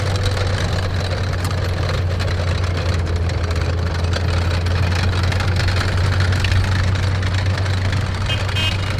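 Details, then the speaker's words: Historic armoured vehicle being readied for AusArmourfest, started for a test drive: deep, even rumble holding one steady speed with no stumbles, knocks or surging; it idles cleanly and runs like a charm. "Runs like a charm."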